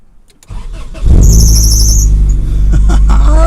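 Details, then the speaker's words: 1997-2002 Honda Accord that cranked but wouldn't start, after fuel pump relay replacement: short crank, then the engine catches and settles into a steady, even idle without struggle; normal start. "that's what it was see that it's started without struggle this time"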